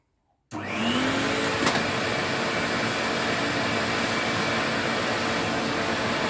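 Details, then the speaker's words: 1986 Electrolux Twin Turbo Z551 vacuum cleaner: motor spins up to a steady roaring whir with a rough gritty edge from the brush roll; suspected off-seat bearing due to a melted thread in the head, despite greased bearings. "it's just the fact that it's not sitting correctly which is why it's um making that horrible noise but at least it works"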